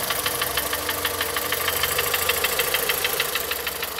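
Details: 2014 VW Polo at idle with check-engine light and misfire fault on cylinders 1 and 4, coil suspected; steady idle with sharp regular tick-knock about three per second; engine knocking at idle, cause not confirmed.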